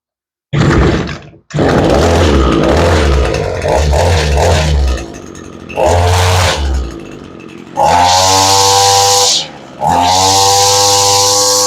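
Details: Two-stroke SRM 225 that wouldn't start without the choke: starts and idles, then snaps up to a clean high buzz and drops back repeatedly, revving freely and evenly; running healthy.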